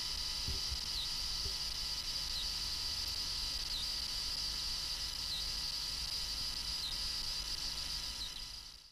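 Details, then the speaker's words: Gaming PC idling on the desktop: steady piercing high-pitched whine with faint chirps about every 1.5 seconds, coil whine from the motherboard near the CPU socket; stops when a game runs. "after listening around the case it seemed that the whining noise was coming from somewhere around the motherboard around the CPU socket area"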